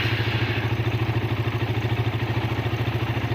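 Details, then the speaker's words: Suzuki Satria FU started on the starter button; dead-starter fault found as a broken yellow-green wire to the starter: engine catches and settles into an even putter about three beats a second; clean, steady, healthy idle. "ini motor sudah bunyi sekarang. Ini masalahnya tuh ada di jalur yang ini ya, yang bagian yang kebendik starter ini, yang kabel kuning reres hijau ini putus di jalan."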